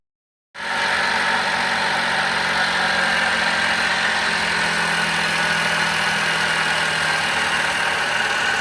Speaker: This sound comes from the water pump. The water pump is loose.